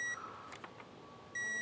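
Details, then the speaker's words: 2017 Kawasaki ZX-14R spark plug replacement with new iridium plugs. Two short high electronic beeps a second apart as the torque wrench reaches 13 Nm, repeated several times to compress the plug gasket. Torque wrench target-reached beep. "13 Newton meters. I'm doing this several times because I want it to compress the"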